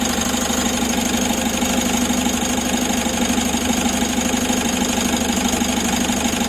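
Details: Mitsubishi 4N41 diesel, first start after replacing broken oil pump drive gear and oil pump assembly: steady even clatter at idle with no knocking, misses or rattles; engine sounds healthy.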